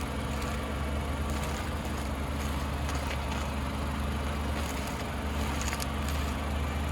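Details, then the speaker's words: Alfa Romeo Giulia Quadrifoglio on thicker winter tires, idling while the wheels sweep lock to lock. Brief scuffing brushes come a few seconds apart as the tire hits the front bumper's inside fender area. "you see that the tire is hitting the front bumper inside fender area"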